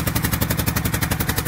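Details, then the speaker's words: 12-valve Cummins diesel, cold start after sitting a long time: sharp, even puffing tick about twelve times a second from an exhaust leak near the back side of the head, possibly a crack or something busted there. "As y'all can hear it. It does have an exhaust leak, but where the exhaust leak is, it's right around the area on the back side of the head, and I can't really tell, but it feels like it's got either a deep crevice in there or something, or it may be busted right there."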